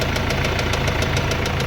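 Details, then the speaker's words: Mercedes-Benz CLS W218 diesel: sharp regular knocking over the idle, about six or seven raps a second, speeding up with a light throttle blip; oil level fine and looks new, internal engine knock suspected as major. "เปิดงานมาเนี่ยดูดิลั่นเลยครับนัแตกค่นหน่อยหน่อยเดียวเมันเขกตามรอบเลยกๆๆๆๆๆๆ"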